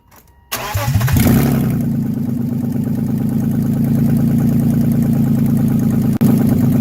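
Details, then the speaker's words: Overhauled BMW engine with M50 manifold, first start after priming oil and fuel: cranks, catches and settles into idle with a quick light top-end ticking from bone-dry lifters. "but yeah I mean it fired up it runs the lifters are noisy as hell but that's because they're they're bone-dry but it started and that's pretty much all that you can hope for"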